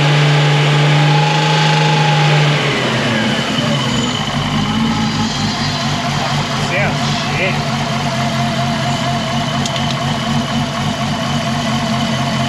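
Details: Nissan R33 in performance build: engine held up in the revs with a rough, wavering rasp over the drone at certain rpm; first suspected a cam splash guard rattling against cam caps, found to be a cracked intake manifold.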